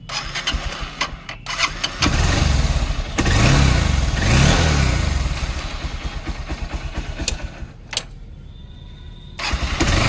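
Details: Starter motor after cleaning and greasing the rear brass bush to cure a scratchy cranking noise: it now spins the engine cleanly with no drag, the engine catches within seconds and settles to a steady idle; normal starter cranking.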